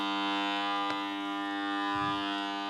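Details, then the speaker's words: Royce air compressor just plugged in. A steady, loud buzzing hum at constant pitch with no spin-up or pumping: the motor is powered but stalled and won't start. The main motor start capacitor is suspected. "that is almost certainly an issue with the main motor start capacitor"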